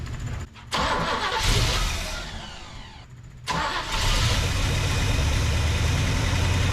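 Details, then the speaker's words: Chevy 454 big block off the road since 1998, first start with carburetor fitted: cranks, catches after a stumble, settles into a steady deep idle with no knocks; runs and sounds good. "oops freaking thing runs sounds good"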